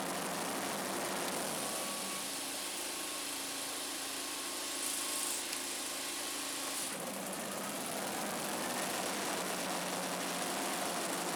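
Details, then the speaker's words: Scag Turf Tiger 61 with Kohler CH25S twin after replacing the bad ignition coil, air gap set at 0.010 in: smooth, even running as the blades (PTO) engage, holding speed without stumbling or dying; fixed. "all right well there you go guys if you got a blade that wants to kill the engine when you engage it that's the fix"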